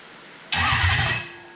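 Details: Early non-VVTi Toyota 1UZ V8 with Link ECU and coil-on-plug conversion, retried start; short crank, then engine catches cleanly and the roar quickly settles, normal start with no misfire or clatter.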